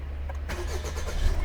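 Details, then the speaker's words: 1.5 BlueHDi 130hp DV5 diesel after fuel filter change and repeated key-on pump priming: short crank, catches at once and settles into steady even low idle; starts fine. "Yes, our boy worked."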